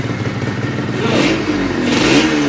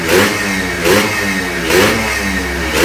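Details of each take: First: Yamaha RXZ 135 two-stroke motorcycle during rebuild, revved in neutral: a steady droning hum rises with engine speed over the exhaust, like metal touching somewhere; source not pinned down. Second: Newly started, not yet run-in Yamaha RXZ 135 six-speed two-stroke, throttle kept light so it won't seize: crisp blips about one a second, rising and falling cleanly, no rattle or misfire; healthy fresh rebuild.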